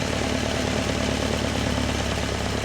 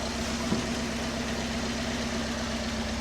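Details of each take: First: Alfa Romeo Spider after head re-tensioning, with individual mixture screws on each cylinder: fast, busy engine drone turning ragged and uneven as one mixture screw is turned until it runs rough, before backing off to the sweet spot. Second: Alfa Romeo Spider after re-tensioning the head following overheating and a head gasket job: steady, even idle at about 900–1000 rpm (cable tach inaccurate), lowered because it idled too high when warm.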